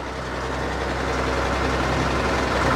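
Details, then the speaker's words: Log loader diesel engine with about 91.72 hours, running after getting it started: deep, even rumble at steady idle without knocks or misses; engine sounds good, normal idle. "Maybe it sounds great though what's that engine sounds good"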